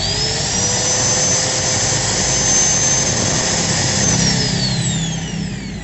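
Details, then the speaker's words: Angle grinder with a Modern M-2300B stator fitted into a Maktec MT90, new CB-459 carbon brushes, reassembled, correct counterclockwise rotation and no sparking: clean high whine spinning up, steady, winding down with no rubbing or rattle; runs smooth. "enggak ada gesekan-gesekan mantaplah guys suaranya juga halus dan putarannya juga kenceng guys"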